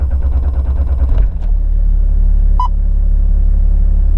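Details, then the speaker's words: 1997 Nissan Safari Y61, 4.2 turbo diesel, 141,000 km, cold after sitting overnight: catches and settles into a low, steady diesel idle with even beat, no knocks or rattles, single chime; very smooth. Normal cold idle. "good to go a little bit cold because I've been sitting overnight and yeah 141,000 kilometers very smooth"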